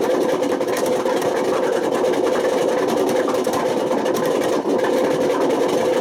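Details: Washing machine at high spin with badly worn drum bearings: loud, rough rumbling roar over a steady hum; damage has spread to the spider and worn the motor, and bad bearings can smoke, overheat, spark and start a fire.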